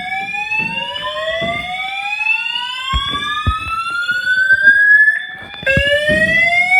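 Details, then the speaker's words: Building fire alarm that woke the occupant in the morning, sounding its evacuation whoop; loud rising sweeps climb steadily in pitch, over and over; the occupant doubts it is a real fire but evacuates. "I don't know if this shit's real, but we're we're going to evacuate."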